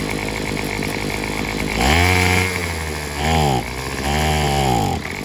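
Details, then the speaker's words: Craftsman WS210 four-cycle weed eater, carburetor replaced without fixing it: three throttle blips where revs rise then sag back without holding; bogging, owner suspects fuel starvation from a partially clogged fuel line, or possibly the muffler. "yep that's how that would go because it seemed like it sounds like it ain't getting no fuel enough fuel"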